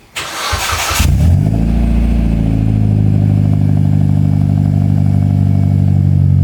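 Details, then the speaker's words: Evo X 4B11T, 2WD manual: starter catches quickly, then loud, steady high cold idle with even low rumble and no knocks or rattles; healthy cold start. "Jom kita dengar dia punya cold start. Memang kuat."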